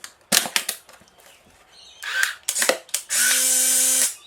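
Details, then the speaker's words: Restored Polaroid SX-70 Model 2, 600/i-Type converted, fitted with a brand new Mabuchi motor: a few sharp clicks then about a second of even motor whir stopping cleanly, sounding slightly different from original motors. Normal camera motor cycle. "as you can see and hear it's interesting to hear the difference between the subtle types of Motors by the way in sx70 cameras um this one I ended up putting a brand new mabuchi motor in it"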